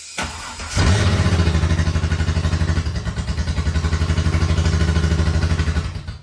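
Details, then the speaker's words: Old 3.8 in an abandoned BT1 VN Commodore, first start in 7 years, running on sprayed brake cleaner with no fuel tank, held wide open in neutral: rough, uneven lumpy roar that never clears or climbs cleanly, struggling badly, then catches fire. "It does not like that. Oh, it's on fire."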